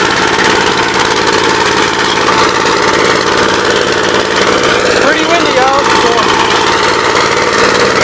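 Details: 1959 Gravely LI single-cylinder engine with 20-over piston, oil had been mostly water, reassembled with PTO installed; loud steady beat at even speed with no misses or knocks, running normally.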